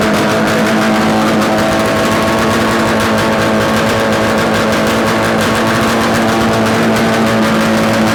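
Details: Yamaha RD250 two-stroke twin, bench-mounted on a stand with total-loss ignition, run after swapping the coil wires, with carb adjustments: loud, crisp crackle firing evenly, smoking, with no rattles or knocks; likely a good engine.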